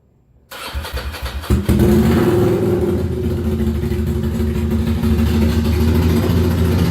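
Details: Ducati Monster 695 café racer after rewiring, restarted to test headlight auto-off: cranks briefly, catches cleanly and settles into a loud, steady, lumpy V-twin idle without misses; healthy start, some smoke likely from heat-resistant paint.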